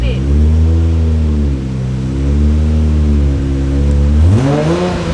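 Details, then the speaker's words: R32 Nissan Skyline with a swapped 1JZ and HKS T3G twin turbos, first start after the swap with codes cleared: clean, smooth revs rising and falling with no knocks or rattles; a healthy inline-six revving freely. "that is a nice sounding day though do he yes it does"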